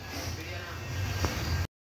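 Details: Honda Livo 110 single-cylinder engine just reassembled: low, even putter at idle with a steady beat, nothing knocking or rattling; running cleanly.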